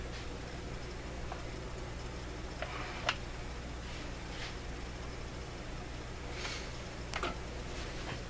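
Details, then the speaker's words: Stewart Warner R146 radio under IF transformer repair, run at too high voltage; faint, irregular ticks over steady low mains hum from a panel meter needle going off scale and banging its upper end stop. "oh yeah we definitely ran that at some high voltage there that you could hear that little funny ticking sound it was this meter over here going off scale and banging at the upper end because i had too much voltage"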